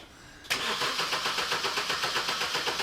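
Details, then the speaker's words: BMW MINI R50 Cooper, first start after engine removal and refit, out of gear: silence, then starter cranks at about four beats per second, engine turns over briefly without catching and stalls. "It's turning over, but not for long."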